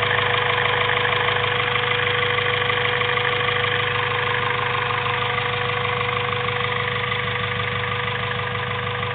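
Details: Honda B16A2 turbo build (CP pistons 9:1, Eagle rods, Supertech valves, valvetrain and retainers) at idle: even light tapping about twice a second over a bright mechanical clatter. Cause unknown. Strange engine noise at idle.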